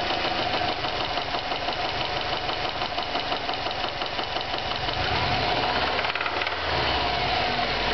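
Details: Stock 2009 Subaru WRX, 2.5 weeks old with 1,251 miles: flat-four idles with a rough, irregular knock about three beats a second from a spun rod bearing. Manufacturing defect, fixed under warranty.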